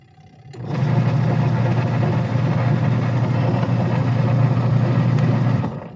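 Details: Sharp Gigawash 6 5kg washing machine after pulley replacement: steady low hum with an even churning rumble and no slipping or squeal from the drive; the wash motor and new pulley run smoothly.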